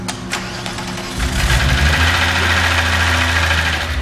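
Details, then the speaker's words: 1998 VW Golf VR6, first start after engine removal for timing chain job, not run for over a month: cranking hits, then catches with fast, uneven top-end clatter as oil hasn't reached the top yet; cold-start valvetrain clatter. "yeah we're rolling yeah sounds like it's uh there's no oil up at the top yet let it flow through it started let it flow through it"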